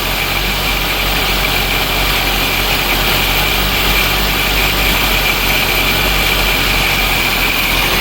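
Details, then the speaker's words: 1983 Dodge Aries K-car wagon, 5-speed, revived after 30 years: even, steady idle without stumbling or surging. Its longest run so far; not yet revved. "The car is still running. Haven't rev it up yet, but let's see how long it runs. I think this is a record so far."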